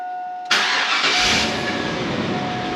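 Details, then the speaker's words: 2002 Chevrolet 2500 8.1L V8, Allison automatic, first start after tune-up with air filter and plug wires done: catches cleanly after a short crank, settles to steady even idle with no stumble or miss; power back, oil change still due. "So we do have to change engine oil, that we knew about. Seems our power's back."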